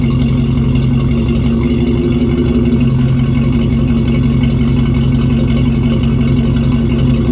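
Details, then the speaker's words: 1996 Ford F150 2WD, 302 V8 gasoline, automatic, after replacing the old leaking, rusted exhaust with a new better-flowing axle-dump exhaust instead of the side exit: deep, steady V8 rumble with an even pulse, no rasp, ticking or rattle; normal exhaust note. "Well, there you have it. Exhaust is all completed. Sounds good. I definitely like changing that up to the axle dump versus the side exit."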